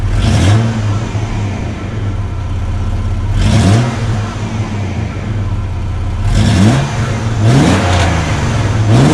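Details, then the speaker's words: Chevy S10 after the exhaust repair, replacing the restrictive factory 2 in twin-cat system: crisp revs rising and falling over a low, mellow rumble, quiet, no rasp or leak ticking; healthy exhaust. "It has a really nice rumble to it. And again, it's very quiet, not loud at all."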